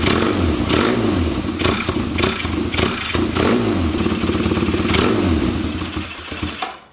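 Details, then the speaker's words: Kawasaki KZ400 on the bench with Mikuni VM30 carbs, idle jet raised to 35 and 2.5 slides fitted: idle hunts with thumps and surges, then sags and dies after about seven seconds; erratic idle, changes made it worse. "so I think personally it made it worse um Idol was way sporadic I couldn't really make it smooth itself"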